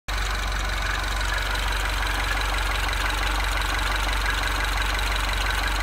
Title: Bruit moteur